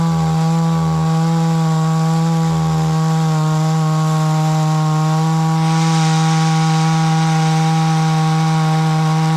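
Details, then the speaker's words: Hyundai 450 chainsaw cutting wood after carburetor diaphragm replacement, which had stalled while cutting: strong steady buzz holding speed while biting into wood, no bogging or dying; pulls cleanly under load. "Evet şimdi motor ağaç üzerinde deneyeceğiz"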